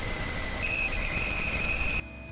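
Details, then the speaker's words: 1997 Toyota 4Runner at idle: steady high whistle that doesn't waver; the smoke machine found no leak. "Unfortunately, the stethoscope is not a good way to find a squeaky whistle noise."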